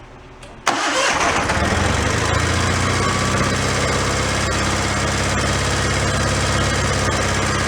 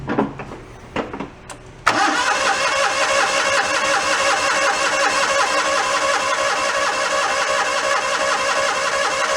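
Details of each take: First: Donated John Deere 318 garden tractor that had broken down, now cranked: it catches at once and settles into an even, steady idle with no misses or knocks. It runs fine. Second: John Deere 318 garden tractor, broken down and reported hard starting, choke use and starting fluid tried: starter cranks steadily but engine never fires; hard starting, blamed on water in fuel and a fouled carburetor.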